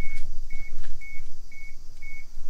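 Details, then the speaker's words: Suzuki Every Turbo van DA52V, battery just reconnected before starting: steady high beeping ticks about twice a second over a quiet background; the ticking is just the hazard flashers on and working normally. "ticking. The hazards are on. The hazards work."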